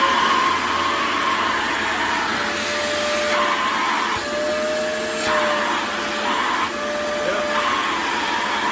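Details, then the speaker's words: Carpet shampooer (Tineco, Bissell or Hoover) suction test: a steady motor roar with constant airflow hiss and no surging or pitch drop, showing good suction at that point. "yeah all right so I have good suction here okay I have this suction right here"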